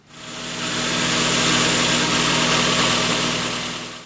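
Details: 2004 Toyota Tacoma 2.4L 2RZ-FE after replacing the power steering idler pulley and retensioning the belt: steady, even idle with a smooth mid-pitched hum and no squeal, chirp or rattle from the belt drive; sounds healthy.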